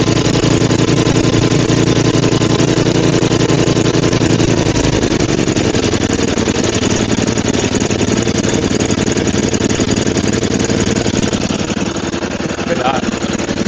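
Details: Roadside-found Murray 5HP 24-inch snowblower (Tecumseh) after head gasket replacement, carb cleaning and throttle adjustment following a runaway: settles from fast run into steady even low idle, no misses or hunting; normal idle.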